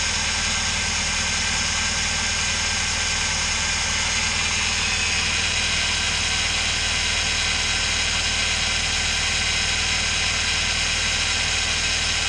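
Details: Car, belt slipped off causing overheating and battery light, spare belt fitted, viscous fan clutch removed; idling without fan before warm-up: steady even hum with no knocks, ticks or misses; normal idle.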